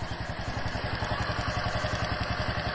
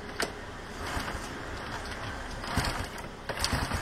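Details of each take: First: Wave 125 single, warmed up before adjustment: light, quick ticking over even idle, in time with the engine; loose valve clearance, tappets need adjusting; o-ring on top leaking. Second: Wave 125 small single starting and idling: soft, even patter with no ticking from the valve cover; sounds healthy.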